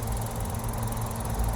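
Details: Toro TimeMaster mower, previously knocking badly, after replacing belts and everything up to the blade shaft with new Toro parts: blades engaged, steady low engine drone, smooth and even with no knocking.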